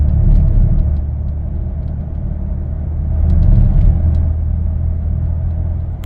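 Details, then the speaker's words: 2015 Lincoln Navigator 3.5L twin-turbo EcoBoost with 6R80 transmission, driving under light load: deep uneven rumble pulsing like hitting rumble strips, vibrating the mirror; transmission shudder, cause not confirmed. "it does this weird shutter that feels like you're hitting the it feels like you're hitting the rumble strips on the side of the road"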